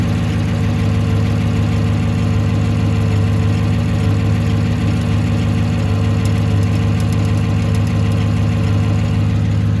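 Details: 2018 Silverado 1500 5.3 V8 at idle: a light, fairly even tick, about three per second, over the steady idle; owner suspects lifters or AFM cam, source not pinned down; engine ticking at idle.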